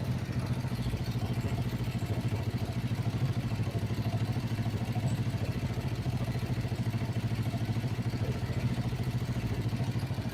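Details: Kawasaki Vulcan 500 twin, warm idle during carburettor synchronisation after valve adjustment: steady even beat about 200 pulses a minute, no misses or hunting, carburettors well balanced; normal idle.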